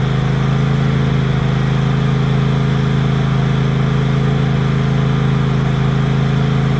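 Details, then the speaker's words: Tractor twin-cylinder engine after rodent-damage repair (fuel line replaced, spark plug changed on the cylinder that had been dead) runs with a steady, even putter and firm low beat, no misses or stumbles: normal running. "well friends everything is back together again um I've been using it around the yard and as you can hear the engine is running absolutely fine now"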